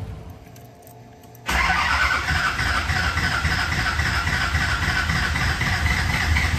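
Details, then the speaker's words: Newly built SoCal Diesel twin-turbo 1,000hp Duramax diesel at first fire-up: catches and settles into a lumpy, uneven, loping clatter, responds angrily to throttle; cylinders misfiring from wrong firing order. "uh yeah as you all could probably tell that was not what I was expecting her to sound like and I don't think that's what y'all expected or sound like either"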